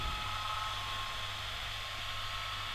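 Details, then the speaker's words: Ram Raider RC car, cooling fan just powered on by battery: faint thin whir with slight wavering edge, fan spins but sounds rough, before switch-cleaner spray. "I plugged the battery in, let's see. Oh, it's on now. Doesn't sound the best, but it's come on."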